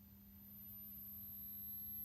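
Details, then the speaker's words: Bush TV105 valve television at first power-up with the tube base and scan leads fitted: the heaters come up without blowing the fuse, and a faint, steady high-pitched whine over low mains hum shows the line output stage starting normally. "Right, well the heaters are coming up. And it didn't blow the fuse. And I hear the line stage starting up."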